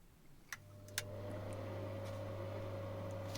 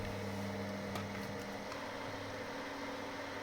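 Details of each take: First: Inline bathroom/kitchen extractor fan after being pushed into flexible tubing and hung in foam rubber to stop contact noise with wood; after switch clicks it spins up to a steady, smooth low hum with no rattle; normal fan running. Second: Bathroom inline moisture extractor fan: steady low buzzy hum from structure-borne vibration, caused by mechanical contact between the fan, pipe and wooden floor.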